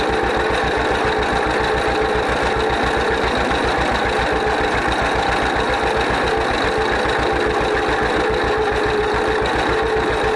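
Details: 1931 John Deere GP two-cylinder tractor, first run after carburetor repair. Steady, even popping at roughly three to four beats a second, no misses or knocks; idles smoothly and healthy, smokes a little.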